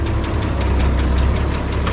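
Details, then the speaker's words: International 1256 diesel tractor idling: rapid steady clunk, about eight per second, often mistaken for engine knock especially from the cab, actually from a chipped gear tooth years ago. "every time I have this thing running it seems like somebody hears that clunking noise and they think it's the engine knocking and which that's what it sounds like especially if you're in the cab but actually a number of years ago we had a gear Creek in here"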